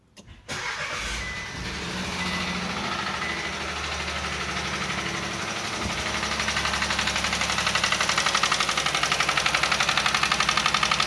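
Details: Chevrolet Onix Plus engine on first cold start in the morning when brake is applied: idle with steady fast ticking knock about three per second that firms up as it runs; cause unclear.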